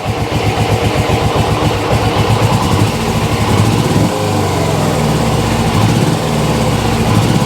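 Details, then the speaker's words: Motorcycle (GS) twin, salvaged out of a garden, running with clutch held in: uneven bup-bup firing with a dropped beat and lazy revving, weak on the left cylinder; owner suspects fuel, may need carbs removed. "Bup, bup, bup, bup, bup. Yeah, it's just a bit weak on the left cylinder. It's more than likely fuel."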